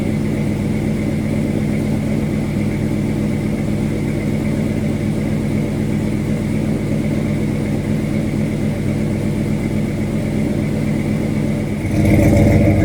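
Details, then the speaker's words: 1979 Dodge Little Red Express truck, new engine, hot idle at about 185°, 50 psi oil pressure, A/C on. A warm even V8 idle carries a faint rapid puffing tick following firing. It is an exhaust leak at the header gasket. "You can hear a little bit of our exhaust leak over here."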